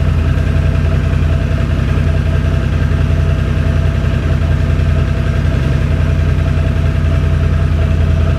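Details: 2006 Can-Am Outlander Max 500 ATV idling after a bad battery (no ECM communication) was replaced with a new 12 V AGM battery: low, even thrumming idle holding steady, no misfires, knocks or hunting; healthy normal idle.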